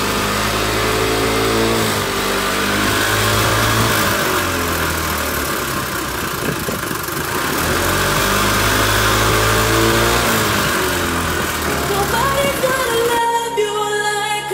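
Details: Kymco Racing King 180 scooter on startup: revs rise and fall with an uneven rattle riding over them; abnormal noise, starter or inner chain tensioner suspected, unconfirmed.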